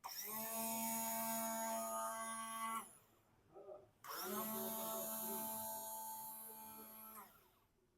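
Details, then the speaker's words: Yamaha R15 V4 starter motor after repair of its cut bush, bench-tested with direct connection: two bursts of smooth steady whirring spinning up and down cleanly, no krak-krak clacking; normal starter operation. "देखिए normal अब self से बिल्कुल भी कराक कराक का sound नहीं आ रहा देखिए सेल्फ का नॉर्मल जो साउंड है वही साउंड आ रहा"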